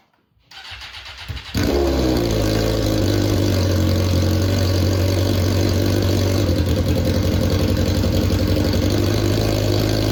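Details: Rebuilt Suzuki GSX-R1000 after its clogged fuel injectors were removed and hand-cleaned because it ran poorly: catches after a brief crank and settles into an even, steady idle with no misses or stumbles. Normal start and idle.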